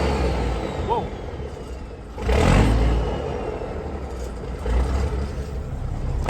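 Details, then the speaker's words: Peterbilt 362 cabover diesel after sitting four weeks, cold start after battery charge and 10 gallons fresh fuel, no longer smoking: low even rumble, faint valve tick, one brief rev; normal smooth idle. "But I think runs smoother and a little bit more quiet. I mean quiet, I can hear the valves that much."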